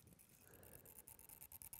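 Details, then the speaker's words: DJI Mavic Mini drone after crashing into a tree, camera no longer controllable, mic held close: faint jittery electric buzz with a thin high whine coming and going; damaged camera gimbal motor buzz. "can you hear that noise so the camera is making a funny noise now normally you should be able to control this from the gimbal"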